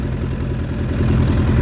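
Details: Suzuki Bandit 600 under crash repair, first run after oil and filter change on a jumper box; uneven idle stumbling and pulsing irregularly, owner doesn't think headers are blowing, cause unclear.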